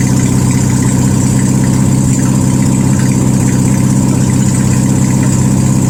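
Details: 1972 VW Super Beetle air-cooled flat-four, no exhaust fitted, 51°F, after starter and ignition work: loud unmuffled drone pulsing about three times a second, rough, won't hold idle.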